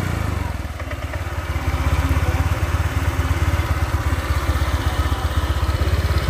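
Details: Honda Vario 125 LED scooter after a top-end rebuild with new piston and rings, following hard starting and oil loss. Steady single-cylinder beat picks up slightly and holds smooth with no tapping; exhaust no longer smokes and pull is normal.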